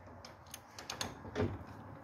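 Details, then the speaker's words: 1966 VW Beetle air-cooled engine, which had not run since 1988, blown up on its first drive and turned over by hand: a few sharp, irregular clacks from one side, with the valves looking intact; broken piston. "you can hear it clack like that it sounds like it's coming over on this side"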